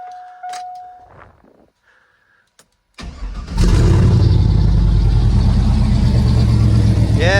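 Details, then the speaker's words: Stock motor with newly fitted open headers pointing straight back, brief start: a few cranks, fires and settles into loud, raw, unmuffled rumble from the open headers. "It's still going to sound like shit because it's open headers on a stock motor."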